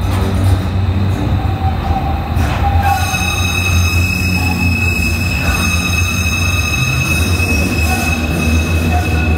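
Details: Tram wheel-rail squeal: a sharp, steady high-pitched friction screech over the rolling rumble, the noise targeted by high-tech rail lubrication to reduce wheel and rail wear.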